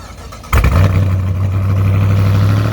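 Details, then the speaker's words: 2018 Dodge Charger R/T V8 with Jay Greene 217/238 cam, long-tube headers, full exhaust, intake and Diablo tune, cold start: starter catches, engine flares loudly, then settles into a deep, steady, lumpy idle. Normal, healthy. "so we could get that cold start, because this thing hits. It runs great, drives great, performs extremely well, and you're about to hear it now."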